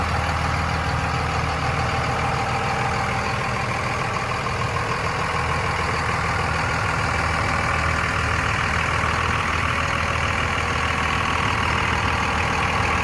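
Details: 2001 Dodge Ram 2500 4x4 with a 5.9 Cummins diesel at 90,412 miles, fully serviced; an even, steady clatter at about 200 beats a minute with no misses or knocks: normal idle.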